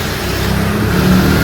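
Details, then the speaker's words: 26mm rotary hammer drill after full repair (gearbox, bearings, armature, field, carbon brushes, greasing), unloaded test: smooth steady motor hum climbing slightly, no rattles or grinding; working properly. "और सुनी इसकी आवाज ये देखो हमारी proper work कर रही है।"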